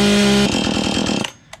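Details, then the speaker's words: Free roadside Husqvarna chainsaw, bar oil half full, not seized: strong, steady high-revving two-stroke buzz for about a second, then it cuts off cleanly; runs well, though the low and high speed screws could use adjustment and the chain is too tight. "Could use a little low and high speed screw adjustment, but it runs like a top."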